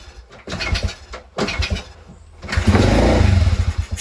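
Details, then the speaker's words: Crashed pit bike, carb just refitted, leaking fuel (owner suspects float), kickstarted: two cranking bursts, catches about a second and a half then dies; ran after adjusting the idle screw, very smoky. "Why did it start and turn off?"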